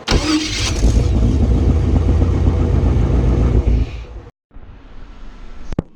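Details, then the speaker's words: Chevy with new mini racing high-torque starter replacing old one too close to headers: fast even cranking about four turns a second for several seconds, no drag or hesitation; normal healthy starter. "Man, that sounded good. Listen to how clean this starter sounds."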